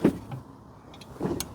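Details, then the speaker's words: Smart ForTwo 451 offside rear drum brake, after replacing failed self-adjuster: sharp light clicks from the rear wheel as brake pedal is pumped, adjuster ratcheting and calibrating normally. Normal self-adjuster clicking. "Can you hear it? I can hear it clicking. So what are we doing? Calibrating it at the moment? Just making, yeah, basically. Yeah, making sure it works."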